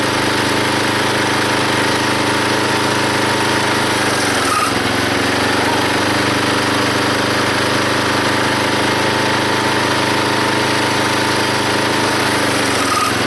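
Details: Log splitter small engine driving the pump by belt, after fitting a homemade spring-loaded idler arm because the belt flew off: steady buzz briefly pulling down under each split then recovering, no belt squeal, hardly any slip; normal running under load.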